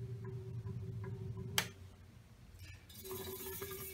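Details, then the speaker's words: 1923 Emerson 16-inch six-blade ventilator fan, type 57568, 50-cycle motor with a startup issue: low mains hum with irregular ticking and a hesitation at one spot per turn; a dead spot in the stator or rotor is suspected, cause unclear. "you see that little hesitation in the blades we're not really sure what that is whether it's a problem in the whether it's a dead spot in the stator or the rotor"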